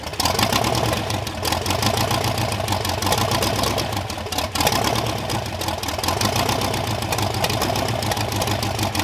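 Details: Supercharged Ardun hot-rod V8 on its first run: loud, lumpy but steady idle with blower whirr over it, running evenly throughout; normal idle.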